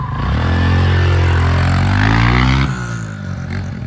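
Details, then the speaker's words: Honda CRF125F dirt bike after cleaning carb, replacing old gas and tightening loose throttle cable: revs up cleanly, crisp steady pull, drops back smoothly with no misses or rattles; healthy revving. "it ended up being just a tension cable on the throttle it was too loose"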